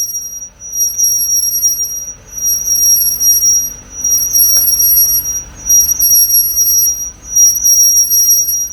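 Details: Car on a lift after front and rear pads were removed and sanded, front noise gone: high thin squeal swelling and fading about once a second with wheel rotation, from the right rear brake; cause not found.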